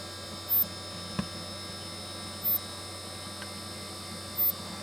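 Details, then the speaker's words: Golden Tee Complete arcade machine in a smaller cabinet, first power-up: faint hum with a short high-pitched chirp about every two seconds as a green light flashes; the monitor is going into high-voltage shutdown, probably from bad capacitors. "basically that monitor is going into high voltage shutdown because some of those capacitors are bad probably"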